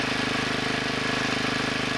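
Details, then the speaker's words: 1963 Wheel Horse 7763 tractor with two 7 hp single-cylinder petrol engines; after turning the rear engine's carburettor needle a little over half a turn it runs at a steady, even beat with no stumble or hunting: normal running. "yeah that sounds better I moved that one a little more than a half turn"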